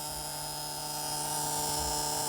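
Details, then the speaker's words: 1978 Bluebird 31 motorhome with Caterpillar 3208 diesel V8, unstarted 3–5 years, at key-on with engine off and air pressure zero: continuous high-pitched dash buzzer, which the owner thinks is probably the oil pressure warning. "we got buzzers uh air pressure of course is zero we're not running that's probably an oil pressure buzzer"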